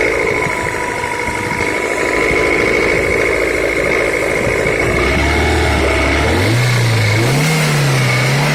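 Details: Daewoo Lanos engine, 190 (thousand) mileage, oil changed about 1,000 km ago: steady tapping about four per second over the idle that stays with the engine as it revs; engine knock of unknown cause.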